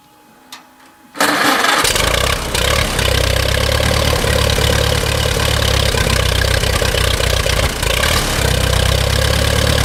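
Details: Allis-Chalmers WD-45 tractor engine just after carburetor rebuild and reinstall: it cranks, catches quickly and settles into a steady, even low rumble with no misses or knocks, running properly.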